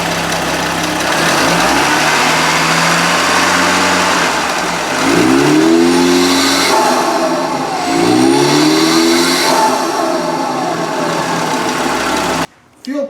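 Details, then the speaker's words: Merkur XR4Ti, 95,000 miles, sat five years (died when hot), free-revving in neutral without load: flares fast on each rev with turbo spool rising quickly, then falls back; suspected retarded ignition timing. "when I rev it in neutral with no load on it the turbo spool is up really quick which it really shouldn't do"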